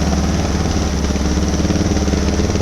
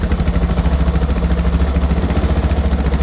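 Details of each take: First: 2006 Suzuki DR650 with FMF header, slip-on exhaust, drilled airbox and carb slide, pilot jet changed from drilled 45 to 47.5, mixture screw fully in: even, steady single-cylinder idle thump with no misses; runs smoothly and seems happier. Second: 2006 Suzuki DR650 with FMF header, slip-on exhaust, and drilled airbox and carb slide, during idle screw adjustment: a thumping single-cylinder idle that rises and falls between two speeds without throttle. Hunting idle.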